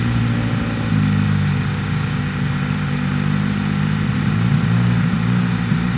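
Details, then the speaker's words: Bike ridden on a frozen lake: single revs hard, its note holding high then hiccupping in short uneven steps near the top, a stutter at about 6000 rpm like a two-step limiter; cause unclear, not yet fixed. "well uh the bike is not really happy it has this like stutter at like 6000 rpm it almost sounds like two-step and uh we couldn't get it fixed"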